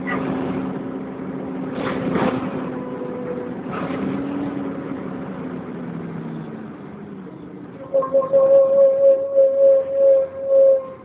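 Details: First West Yorkshire Wright Renown bus 60833 (W766 HBT) on service X11, Pudsey to Leeds: loud pulsing high-pitched screech over the running diesel, like a tyre burnout, actually coming from the cooling fan area.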